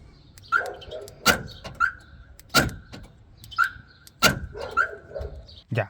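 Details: Hyundai Accent (2012-2018) driver's door lock actuator after replacing the motor (old one's plastic gear broken): short crisp buzzes at each lock and unlock, no grinding or rattle; actuator working normally.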